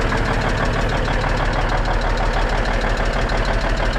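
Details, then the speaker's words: Cummins N14 diesel in a Peterbilt cabover after valve adjustment, injectors not set without special torque tool, Jake heads off and on: heavy idle with fast steady tick about three per second; engine ticking, owner suspects need to pull Jake heads again. "i think it sounds good other than whatever's making that ticking noise so i'm just going to put it back in the shop"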